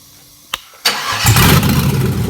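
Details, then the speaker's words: 1956 Ford F100 with a swapped LS 5.3 V8, started without a fuse box using only three wires. A couple of clicks and a short crank, then it catches at once into a strong, even idle; a normal start. "so there you go and that's all you need to get it running"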